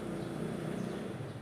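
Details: Desk fan after capacitor replacement, tested on speed 1; steady low hum with soft even airflow rush and no stalling drone, spinning up and running normally.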